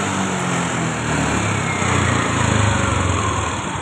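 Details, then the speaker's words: Fuel-injected motorcycle with VVA fault code 84, after the loose connector socket was checked: revs up and down cleanly, pitch following throttle without stumbling; VVA works normally and warning light cleared. "Hóa ra VVA vẫn bình thường."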